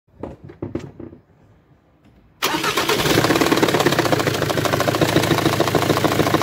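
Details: Jaguar X-Type 2.0 diesel with Ford engine: cranks briefly, catches, then runs with a loud, uneven clatter of about three knocks per second; badly damaged cylinder head needing replacement.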